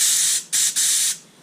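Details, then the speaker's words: Air compressor blow gun test for painting prep on a 1998 C5 Corvette, regulator bumped from zero to about 40 psi: two strong clean hissing blasts that cut off crisply; good air, no leak, though fitting may leak slightly when tilted. "we have good air we're not leaking the only thing i'm noticing is this kind of wants to leak if you like just tilt at the right angle"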